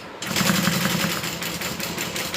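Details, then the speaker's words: Sewing machine at full speed with a 4.5 stitch length gives a sharp knock about eight or nine times a second with every stitch. The knock only appears when sewing fast and needs repair. "When I sew fast, my sewing machine has a little knock to it. That's what I have to get fixed."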